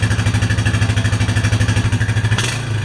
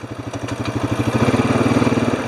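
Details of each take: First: Honda Rancher 420 ATV, cold start after sitting over a year: uneven, stumbling idle of about three pulses a second, slow to respond and hesitating on throttle, then stalls; rough running from long storage. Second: Honda Rancher 420 ATV, started after sitting over a year with old fuel; even, quick firing about fourteen pulses a second, steady and clean, no misses, no smoke, running much better than before. Normal running; throttle response still a little slow, throttle body needs cleaning.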